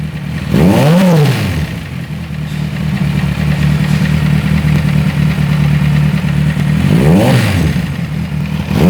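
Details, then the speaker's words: Kawasaki Z1000 with engine noise, after timing corrected (was out of time, running much improved): blips twice, settles to idle with persistent mechanical clatter; damaged internal parts found, exact cause not confirmed. "Colocamos no ponto, percebemos que o funcionamento da moto melhorou muito, porque estava fora de ponto, porém o barulho não para."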